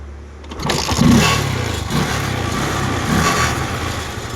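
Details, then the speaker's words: 2012 Bajaj Discover 150 with no spark (no-start), CDI unit removed, tapped and refitted for suspected loose contact: brief cranking, then engine catches cleanly into a steady even single-cylinder idle; fixed for now, not permanently. "Guys, അപ്പോൾ വണ്ടി എന്തായാലും സ്റ്റാർട്ടായിട്ടുണ്ട് കേട്ടോ. തൽക്കാലത്തേക്ക് ഇതിൻ്റെ complaint മാറി."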